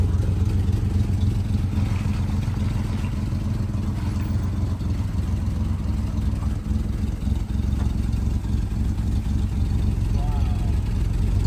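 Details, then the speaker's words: 1973 Citroen SM, 5-speed, three carburetors, 73k miles, just started with clutch in: even carbureted idle with faint rhythmic ticking of hydraulic pump cycling as suspension raises; runs good, healthy and steady. Normal idle. "Boy, it just raised right up. That's just, man, this runs good. I can hear the pump cycling."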